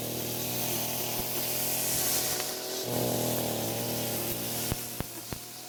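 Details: Echo string trimmer after a new carburetor diaphragm improved fuel flow: a steady, even two-stroke buzz with no surging or stumbling, then a few sharp clicks. It is running a whole lot better.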